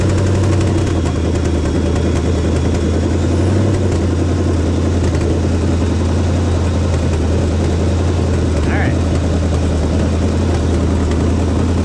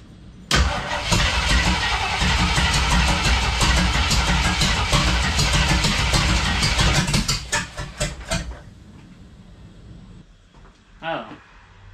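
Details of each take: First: 1976 AMC Gremlin, AMC 360 (5.9L) V8, after correcting over-advanced timing (about 25–30°) to about 12° BTDC. A deep, even V8 burble holds a settled idle with no misses or stumbles. Normal idle. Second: 1976 AMC Gremlin with an AMC 360 (5.9L) V8, starting with fuel poured in and one muffler fitted. It catches and runs loud and ragged for seconds, then falters and dies. Hard start and stalling; the owner suspects ignition timing was accidentally bumped, unconfirmed.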